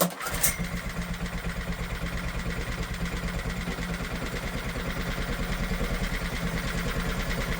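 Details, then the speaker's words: Old heavy Honda generator stored 20 years, pull-started with choke reduced: catches and settles into a quiet, slightly uneven thump about three per second, running briefly. Hard starting, owner suspects carb issue from long storage. "Trying. She's trying. I think that's safe to say we've got a spark."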